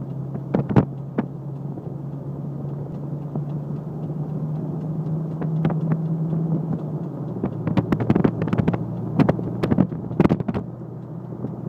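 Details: Jeep at a decent speed: irregular sharp pops and clicks over steady engine and road drone, some wind; popping is more violent when moving slow, still worrying.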